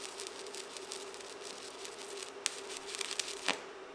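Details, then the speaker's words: ProWELD MMA 220 Puls welding inverter in pulse mode on thin sheet: crackling, sizzling arc with faint hum and quick rhythmic throb, normal pulsed stick welding. "Ora è possibile osservare le pulsazioni in diversi modi: nei valori misurati sul dispositivo di misurazione, visivamente, sull'intensità luminosa dell'arco elettrico e uditivamente, le variazioni di potenza dell'arco elettrico producono ora un suono specifico che possiamo sentire più facilmente."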